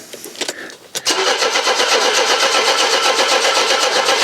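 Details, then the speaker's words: Mercedes W123 after long storage, in neutral with power and dash lights on and a little petrol added: fast, even cranking at about four turns per second that never fires. Owner suspects the petrol has drained to the back of the tank. "why aren't you firing you this is taking me back to the bad old days of this car"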